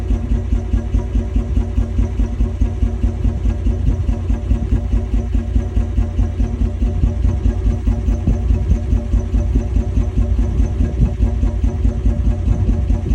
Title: 1994 Toyota 80 series Land Cruiser rough idle